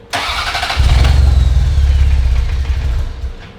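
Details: Ferrari 348, first start after engine-out timing belt major service: starter whirs, engine fires and rumbles unevenly about two seconds then dies; catches but won't stay running; later rich on right side with smoke, harness swap suspected.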